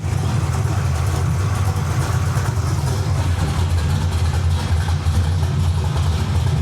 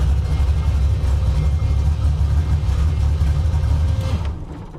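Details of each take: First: Carbureted V8 with an Anderson B61 cam, limited-travel lifters and Terminator X data logging, during carb tuning: a steady burble with a brief rough stumble after the adjustment was pushed too far. Backing it off fixed it. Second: Carbureted car with an Anderson B61 camshaft and limited-travel lifters, idling: deep, choppy idle loping unevenly about three times a second; rowdy rhythm from the aggressive cam.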